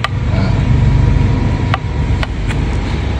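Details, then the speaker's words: Perodua Viva with front undercarriage noise and free play at the steering wheel: sharp, isolated clunks from the left front over steady road rumble, traced to a worn lower arm with badly worn bushes; fix is replacing the lower arm. "Jadi kita cakap corner ni berpunca daripada lower arm. Jadi kita saja dia tukar lower arm lah."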